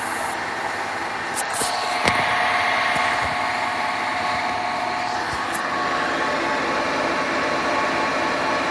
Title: Horrible Grinding Noises From Hotpoint Washer